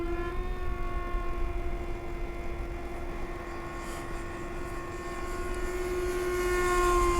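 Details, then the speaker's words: FT Viggen RC jet, 70 mm probably 6-blade EDF on 4S 2200 with 40 or 50 A ESC: steady high whine with faint pulsing about four times a second; tired, worn fan described as dying. "a poor edf that poor fan is just dying"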